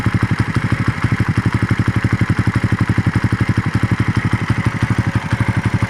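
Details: Raider engine idling warm after a long ride: a steady idle with a pronounced, even clatter about four times a second riding over the exhaust beat, source not pinned down; abnormal engine noise at idle.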